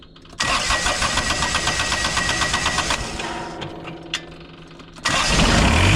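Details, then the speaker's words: Kubota diesel tractor with intermittent no-start, after adding power wire direct to starter, original beat-up starter kept: starter spins briskly a few seconds, then fires and picks up strongly; normal start. "Oh yeah. Yeah, that did it. And as you can see, you know, obviously I didn't change the starter, still all beat up."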